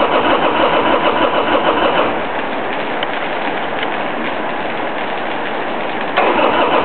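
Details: 1999 Harley-Davidson Sportster XL starting hard after sitting idle for a couple of months: long stretch of rhythmic cranking, about three beats a second, before the V-twin struggles to fire.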